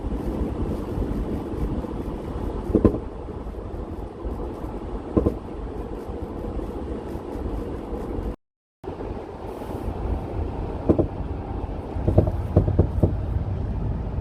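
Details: VW Eurovan driving, recorded for the mechanic: steady low road rumble inside, broken by short bursts of rattling clatter every few seconds; the intermittent rattle did not show on a 15-minute drive with the mechanic.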